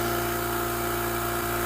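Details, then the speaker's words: Oil-lubricated Apollo dental air compressor pumping up to pressure; smooth, even, quiet hum with steady pitch and no knocks or rattles; normal running. "We'll watch this guy go all the way up to pressure and see what a normal sounding compressor sounds like. You'll notice just how nice and quiet the compressor is. It's very steady."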